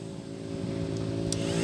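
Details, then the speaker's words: Yamaha MX cooling fan that won't run when hot, relay jumpered for test: steady fan hum with sharp relay clicks; relay and fan both good. "kalau saya jumper disini terus kipas langsung mutar di sini ada bunyi cetak cetek artinya di dua komponen ini bagus ya relay dan kipas bagus"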